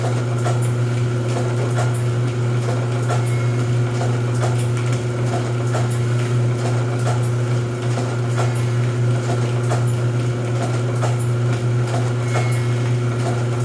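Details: Rosback 250C (318) 3-knife trimmer with CueFeed feeder, new DC controller fitted, delivery not running so books caught by hand: steady motor hum with evenly paced knife strokes every two to three seconds; normal trimmer running cycle.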